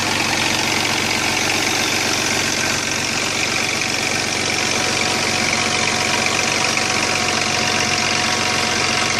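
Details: Chrysler Sebring idling: busy metallic chatter about four beats a second as the timing chain slaps its housing; weak oil pump couldn't build pressure for the tensioner, chain later jumped causing major engine damage.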